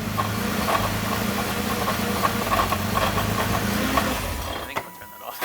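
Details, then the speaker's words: Crash-repaired Nissan GT-R with oversized injectors on an off-the-shelf tune: uneven metallic clanking about three a second at idle, injectors not liking the tune; custom base map awaited. ">> What is that noise, Greg? >> Those are the Those are the injectors not liking the tune we are running."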